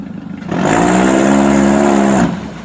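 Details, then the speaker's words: Toyota Camry demolition derby car, now running with power fed straight to the computer on limited wiring, floored after earlier hesitation: engine note climbs cleanly with a strong rising pull and no stumble; normal acceleration. "no hesitation no nothing"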